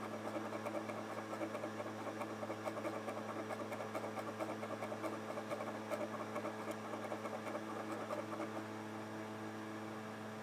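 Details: Xbox 360 Slim DVD drive with an old game disc inserted: quiet drive hum with faint irregular scraping and soft bumps about once a second as the laser moves back and forth; slight grinding while seeking.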